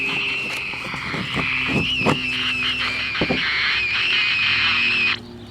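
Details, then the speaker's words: 1960s Major pocket AM transistor radio with tin transistors, volume wide open, before repair: thin steady high squeal wavers over faint crackly audio and cuts off; weak output, AVC capacitor suspected. "the generally when you get a situation like this you automatically think capacitors because it's squealing which would be the AVC capacitor"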